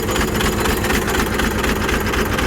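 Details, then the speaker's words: Blown 12-valve diesel that ran out of oil and ate its turbo (owner suspects turbo debris entered the engine), turbo not spinning; heavy rapid hammering knock over a rough idle that shakes the truck, sounding like a rod about to eject. "his thing is she is knocking so bad it sounds like a Rod's about to eject out the block bad Turbo's not even moving"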